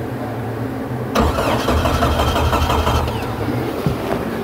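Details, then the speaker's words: Jeep with no-crank complaint, dead battery on jump pack: silence, then starter engages and cranks steadily when jumped at connector under vehicle, bypassing an open in the yellow-red circuit at a jumper connector; normal starter cranking. "I should be able to make this thing crank under here at this connector."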